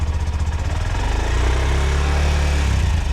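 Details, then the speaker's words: Motorbike, three years old, checked before its first MOT with the engine running and the stock exhaust: steady, even low thrum with no blowing, puffing or hissing at the pipes; exhaust sealed, not noisy, healthy. "So, running the bike, there are no uh there's no sound of leaking exhaust. If you get a hole in the exhaust, you can hear a sort of blowing"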